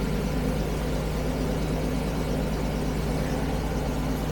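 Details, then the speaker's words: Carbureted 1975 Jaguar XJ12 V12, warmed up but with no power and backfiring through a carb: uneven, lumpy idle, irregular pulse about three a second with stumbles; one bank is cold, with no smell or smoke, so owner thinks the whole bank is dead, running on maybe three or four cylinders. "This hardly smells of anything on this side. And it's it's cold. I think the whole a bank is not running. And we're missing a couple cylinders. So I think it's running on at the moment. Maybe three cylinders. Four. This whole bank is not running."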